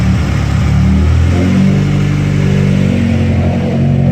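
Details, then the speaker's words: Honda Accord after its top end was reassembled, with an idle air control valve internal leak addressed (stock plate, new gasket), old spark plugs: revs up and settles smoothly, no knocks, rattles or misses; quiet, healthy running. "everything sounds good pretty happy it started pretty easy"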